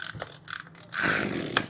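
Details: Sprayer engine recoil starter, pulled with the cover off after repair to check whether an odd noise when cranking remains: a few quick, smooth ratcheting pulls free of the scraping. The recoil start sounds normal.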